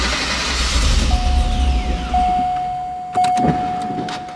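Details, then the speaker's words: GM Gen III LSx V8 ('97-'04) with modified cam and factory engine management, before idle calibration: it cranks, catches, revs up briefly, then stalls within seconds. The idle tuning is incorrect, so the desired idle speed table is to be changed first. "so we see that by cranking the car over at the Carlisle fire it'll rev up a little bit but of course stall out"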